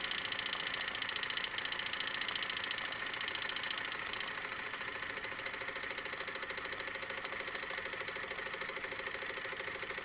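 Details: Wilesco D-18 tabletop steam engine running outdoors: quick, even chuffing about three to four beats per second over a steady hiss, easing gently as pressure drops; normal running.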